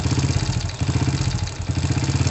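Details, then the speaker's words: Honda Supra motorcycle used for hauling and trade, engine leaking/seeping oil and smoking, gears sticking: lumpy single-cylinder idle with a loose crackling "kretek-kretek" rattle on each firing pulse, clearer on a light blip; many noises from inside the engine, something internal loose. "beberapa Suarez dalam mesin komplikasi ini agar suara kretek-kretek ada suaranya merek-merek ada suara ada banyak suara di dalam mesin ini"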